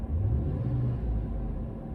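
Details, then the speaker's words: 2013 GMC Yukon 5.3L V8 at idle, 146,000 miles, after replacing all eight spark plugs and wires: deep, even, steady rumble; tach no longer hunting 600–900 rpm, smooth normal idle. "all right idling pretty steady everything sounds smooth and main thing is looking at that tachometer it was really hopping around at idle it was jumping around from 600 to 900 all by itself for no good reason"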